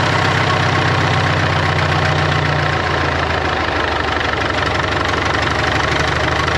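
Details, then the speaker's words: 1939 Caterpillar D4 (RD4) with D4400 diesel, running after final assembly: even diesel clatter at steady idle, firing regularly; some wet stacking noted, engine needs breaking in. Normal idle. "What do you think? I think we're in business. I think we got some wet stacking, but it needs broke in."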